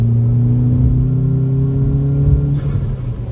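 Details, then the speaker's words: Mk5 Golf GTI after swapping Rev D for Rev G diverter valve, lift-off at about 30 mph: engine drone drops, then quick airy turbo flutter and venting; normal, healthy release. "It's immediate as well, I can hear the turbo flutter, I can hear it venting. Oh, the turbo flutter is so good."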